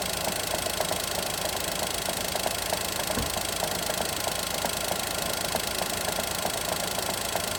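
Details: Daihatsu Mira engine at steady idle: a sharp metallic tap about four times a second over the engine hum; internal engine knock, source not pinned down.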